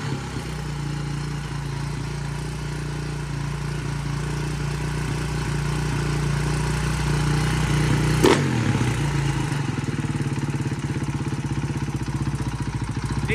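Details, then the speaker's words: 2009 KTM 450 EXC after carburetor cleaning (muck in float bowl, cracked bowl nut): steady, even fast idle with clean consistent beat, no stumbling or misfire; accelerator pump and everything working, fueling right. "to be ridden I think but everything works accelerator pump everything's good"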